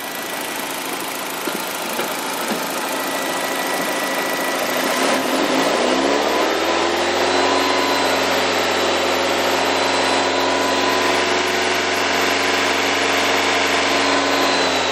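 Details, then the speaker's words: 2013 Nissan Evalia manual, used-car inspection: engine held at 2000 rpm gives a smooth even drone with no knocking or rough noises; sounds healthy. "ya kita cek juga potret kondisi bunyi seperti ini dalam kondisi halus Idul Adha Idul seperti ini enggak ada suara asing Seperti ketukan tuk tuk tuk atau suara apapun ini"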